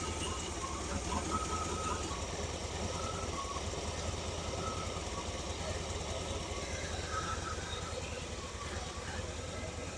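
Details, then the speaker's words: 1978 Chevy K10 with a 305 V8 at idle after a vacuum leak was fixed: steady low rumble, no more valve-train ticking, still running a little rough with a random misfire under investigation; valve train judged good. "Well, as you can hear, she ain't ticking over here now. She's still running a little rough."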